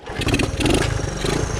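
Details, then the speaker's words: 1974 Honda Trail 90 (CT90), sitting since 1984, revived and already running, idle set low; fires on the first kick and picks up into a quick, even rev with a crisp, regular beat: normal kick start. "fires right up and go back down to the bottom once you drag the golf cart down fires right up and drives right"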